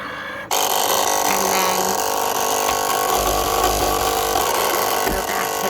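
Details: Cricut Explore Air 2 cutting machine, running on its supplied power cord: when the roller spins, a rough, harsh grinding carries on while it runs, and a small light stays on.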